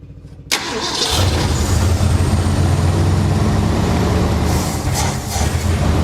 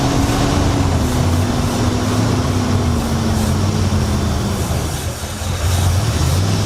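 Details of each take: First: 1966 Mercury Montclair, sat 40 years, brake clean sprayed down the carb throat: a brief crank, then it catches and runs rough and low without settling. Fuel starvation, suspected stuck carburetor needle and seat. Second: 1966 Mercury Montclair, still very cold, just fitted with a replacement Amazon carburetor: runs steadily, with a low note drifting down as it settles. Idle mixture screw still needs adjusting.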